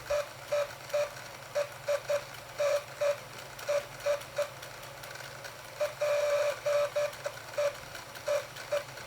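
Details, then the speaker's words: Second-hand Bachmann limited edition Blue Peter model locomotive on track: small motor hum broken by shrill squeals about twice a second from a dry motor bearing, fixed by oiling it. "it has a dry bearing you can tell a dry bearing from the the noise it makes it's it's horrible"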